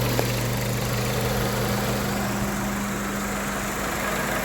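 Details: 1998 Honda Civic with replacement engine after rod bearing failure: steady quiet idle, even low hum, no knocks, ticks or misses, like a sewing machine; normal idle.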